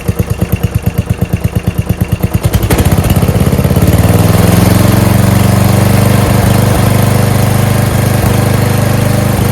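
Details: Murray mower, 12.5 hp Briggs flathead, after fitting a Nikki carb (fuel solenoid removed, idle adjusted): slow firing pulses, then clean, steady full-throttle drone without misses or surging; healthy.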